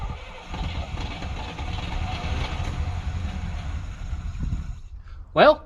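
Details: Chevrolet C20 squarebody V8, sitting for years, started with starting fluid: low, uneven rumble that catches briefly then falters; won't keep running, likely because low fuel in its own tank isn't reaching the pickup tube, suspected.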